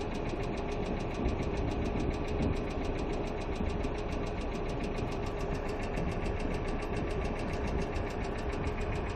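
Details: Hyundai Accent II petrol engine at steady idle with fast, even, light tapping on top: hydraulic lifters ticking.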